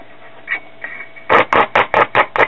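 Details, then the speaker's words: Late-1960s Audiotronics 300A tube classroom record player after tube socket replacement, overhaul and swapping disc for film capacitors: six crisp, evenly spaced clicks over a faint steady hum as the amplifier passes the cartridge signal properly. "test from the cartridge, so let's put it back in the case and connect the good speaker and see if it works."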